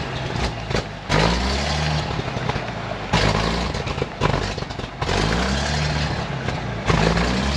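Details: 1956 GMC 630 fire truck, 503 straight-six with carburetor, rescued off a farm, running after revival: uneven surges every couple of seconds before settling, no knocks.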